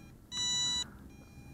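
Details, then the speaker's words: Eachine EX2 mini brushless drone with 7.4V 850mAh battery, just landed and motors stopped by long press: two long high electronic beeps about a second apart; low-battery warning beeper still sounding. "And stopping the motors by a long press. So, there goes that beeper."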